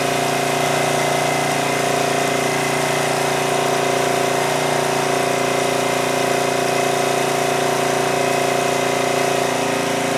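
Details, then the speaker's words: 2002 Coleman Powermate 5500 generator after engine speed adjustment lowered output from 135 to 120–121 volts: steady, even drone with constant pitch and no hunting; normal governed running. "all right so with that I think we adjusted the engine speed adequately it was down to 120 121 which is fine"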